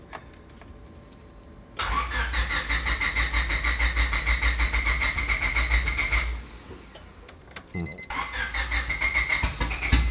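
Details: Turbo EK Honda Civic with a new Hondata S300 ECU and new fuel injectors: the starter spins evenly for several seconds but it never fires. The suspected cause is the current tune dumping too much fuel; a new base map is needed.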